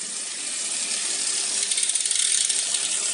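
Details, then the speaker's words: Road bike in small front chainring, largest rear cog: fast light rhythmic scraping, about four strokes a second, over drivetrain hiss as the chain rubs the front derailleur cage; a half-step trim on the left shifter cures it. "Jika belakang besar, depan kecil, ada bunyi. Nanti sama seperti yang satu setengah tadi."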